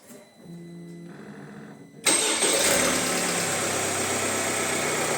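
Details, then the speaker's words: Opel Insignia, about 2020, 1.6 B16DTH, 136,000 km: fully cold start at 16°C in a closed room; starter whirs about two seconds, catches and settles to an even idle with no rattle or knock. "всё идеально без рёко это без Тука работа стартера и всё это мы в закрытом помещении здесь звуки очень хорошо слышны посторонние звуки если что Но здесь у нас всё идеально заводка обыкновенно"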